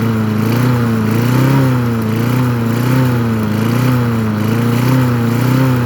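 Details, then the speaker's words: Craftsman 22-inch push mower, Briggs & Stratton 6.0 float-bowl engine, after carburetor cleaned three times and previously syringe-fed fuel: steady even running with a slightly wavering note, no knocks, little smoke; running well. "the end she's a runner that motor sounds pretty good too"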